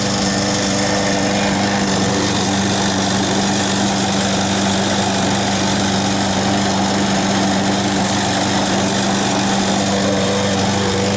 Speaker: Hear the mower misfiring? Pop, pop, pop, pop, pop, pop, pop.